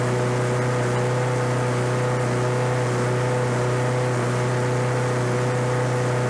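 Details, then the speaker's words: Lawn-Boy 21-inch self-propelled mower found in the trash, with little oil and low felt compression, after adding gas: steady, even, clean drone with no misses. Runs normally. "so that's interesting like i say this is out on the side of the road with the trash and it runs"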